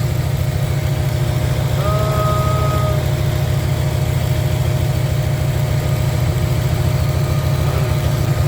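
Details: 1994 Camaro Z28 V8 idling after alternator and serpentine belt replacement: deep, even rumble at steady idle, no knocks, squeal or stumble; running smooth again.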